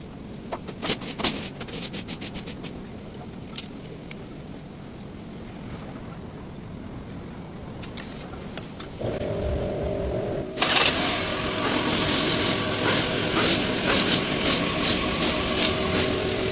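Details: Hyundai Sonata engine after the belt bearing noise was fixed: some clicks and handling, then the engine starts and runs evenly with no squeal or rattle from the belt drive.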